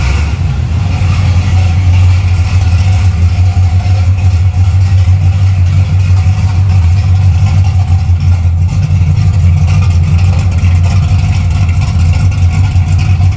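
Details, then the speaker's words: Camaro V8 after rewiring: deep, steady rumble at a low idle about 700 rpm, smooth and even with no knocks or misses, like an old pickup truck; normal idle. "It don't sound bad. No, it don't. It kind of sounds like old pickup truck."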